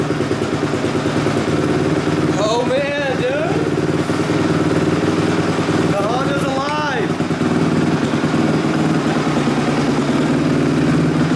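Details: 2005 Honda CRF250X single after valve shimming, timing adjustment and carb clean (carb slightly leaky), first start: steady even idle with two quick throttle blips rising and settling cleanly; smooth, normal running.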